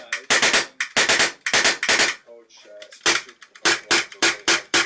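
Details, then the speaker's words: Polarstar Kythera airsoft engine with trigger and sear misaligned, engine twisted toward the trigger by hand: sharp, crisp cracks in quick even bursts of three to four, each shot firing cleanly; consistent firing once aligned. "so the issue is actually alignment with the trigger and the sear at this point I'm figuring it out as you can see when I twist the engine to the one side it shoots perfectly flawlessly"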